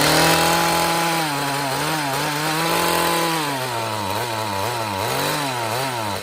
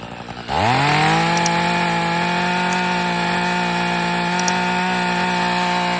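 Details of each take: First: Echo two-stroke trimmer started while flooded, fuel smelling of alcohol: rough running that can't climb in revs, tone sagging and wobbling; bogging from far too much fuel through the carburettor. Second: Echo two-stroke hedge trimmer/trimmer, after being badly flooded and dried out, fires, revs up quickly and settles into a steady, even buzzing idle; may smoke initially.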